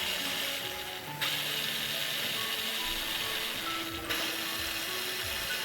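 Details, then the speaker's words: Hero Splendor Deluxe BS6 motorcycle starter after removing the self-starter, greasing the armature and refitting: two presses give a steady, even high whirr, previous noise fully gone. "जैसे कि आप देख सते हैं पूरी तरह से जो इसका नोइज है व खत्म हो चुका है"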